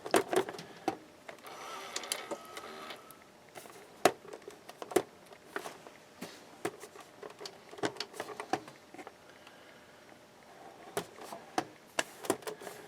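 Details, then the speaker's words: Early all-metal-chassis VCR bought at flea market, dusty: irregular clicks and whirring motor bursts, mechanism keeps cycling and won't lock; cause unknown. "Uh-oh. It doesn't want to lock."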